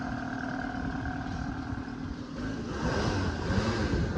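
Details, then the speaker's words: Fox Body Mustang started after about 7 years unused, after reconnecting a plug wire so it runs on 4 cylinders instead of 3; catches and revs strongly with fuller exhaust, idle still a little rough; normal running. "All right, well, let me fire it up Let's again try and see again. if that makes it better. Eureka! Works great!"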